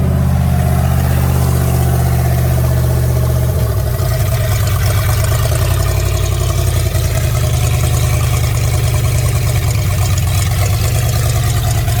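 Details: Fox-body Mustang V8, first start in 18 years after harness swap: deep, loud, steady rumbling idle; loud because the wastegate port on the exhaust is open and not yet welded.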